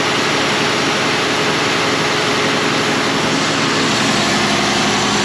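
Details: John Deere 7200R tractor, 11,630 hours, after mending the exhaust pipe with a new gasket: loud, steady diesel idle with an even drone and no puffing or ticking from the exhaust; it sounds sound and settled.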